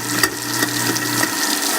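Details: Garbage disposal in a rental house after freeing a stuck unit, running with cold water: steady low motor hum, smooth and even, no grinding or jamming; running fine.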